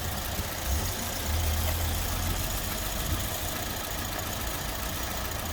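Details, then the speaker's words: Suzuki Swift after refitting the fuel rail and injector seals and plugging in the mass airflow sensor: low, even idle with no more hissing; running better, rough running thought due to the unplugged mass airflow sensor. "okay well she seems to be running better which is a good thing i'm guessing it was running rough because it's now reading mass airflow"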